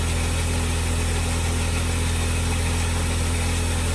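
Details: 2003 Smart Fortwo three-cylinder engine after spark plug and HT lead replacement for P0303 cylinder 3 misfire: steady idle, regular low thrum, no missing beats; normal idle, engine light off afterwards.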